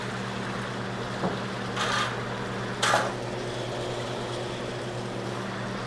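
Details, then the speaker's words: Zeco fryer oil filtration machine pumping oil and crumbs out of a fryer: steady motor hum, low drone and liquid gurgle with brief slurping surges as oil is drawn; normal pump operation. "We're going to go ahead and start pumping all those crumbs out. Want to make sure we get the sides of the fryer Make sure we get all that debris."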